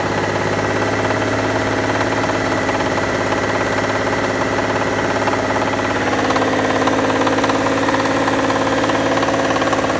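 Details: Mitsubishi Diamante 6G73 GDI V6, warmed up, idling then revved in place: steady tapping about three per second over the hum, sharpening with revs; owner asks whether it needs a major overhaul, cause unknown.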